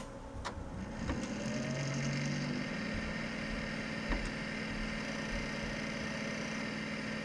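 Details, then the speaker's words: Packard Bell Legend Supreme 1820 (200 MHz Pentium MMX, Windows 98) at power-on: a few clicks, then rough raspy hum and steady drone from a dry fan bearing, either CPU or power supply fan. "first thing you'll hear is the grinding from the dry fan not sure which van it is it's either the cpu or the power supply fan the only two fans on it"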